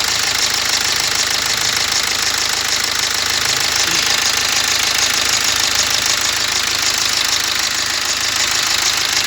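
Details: BMW X1 diesel with push-button start, at idle: a steady, regular chatter about twice a second over the idle, from a worn crankshaft damper pulley that needs replacing.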